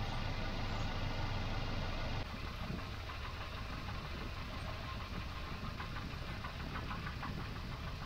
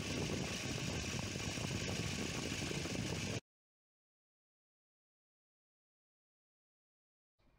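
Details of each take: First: Volvo 240 B230F with LH2.2 ignition, timing several degrees off before being reset to 12° BTDC: lumpy, uneven idle with an irregular pulse and a shaky low thrum. Rough idle from retarded ignition timing. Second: Volvo 240 B230F Redblock petrol engine with LH2.2 ignition idling steadily and evenly, with low piston slap, while ignition timing is set with a timing light to 12° BTDC after being several degrees off, then cuts to silence.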